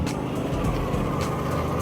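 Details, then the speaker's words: 2009 Toyota Vios Gen2 at idle with the air conditioning on: a rough droning rumble over the engine from the AC compressor, whose clutch has failed; the compressor was advised to be replaced and the AC no longer cools well. "Rinig niyo yan. Yung maingay na yun yung compressor. Kasi yung compressor ko, nasiraan na ako ng clutch nung compressor."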